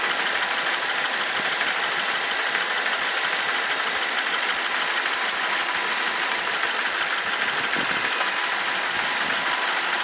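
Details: BMW 745i E65 V8 after a 2°C cold start whose clatter disappears after 1 min 20 s: warm, even, settled idle with the cold-start clatter gone and no knock standing out.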